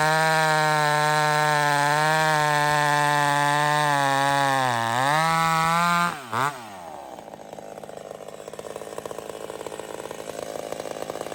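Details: Old McCulloch Super Pro 70 chainsaw cutting on a hot evening: strong, steady high-revving buzz holds pitch in the cut without surging, then drops off. Healthy, no hunting.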